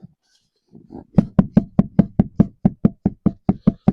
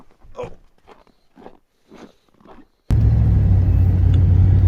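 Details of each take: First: 2002 Chevy Silverado rear axle pushed in and out: sharp metallic clunks about twice a second with no up-down or side play. The owner suspects a worn or broken C-clip in the rear differential. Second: 2002 Chevy Silverado rear differential after C-clip replacement and fresh fluid, driving on road test; smooth steady low drive rumble, earlier clunking gone; normal differential, no clunk.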